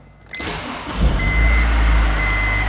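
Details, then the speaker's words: 2004 Honda S2000 first start after clutch and starter replacement: starter spins briefly, engine catches cleanly and settles into a steady idle with no grinding and no check engine lights. "No grinding. No check engine lights."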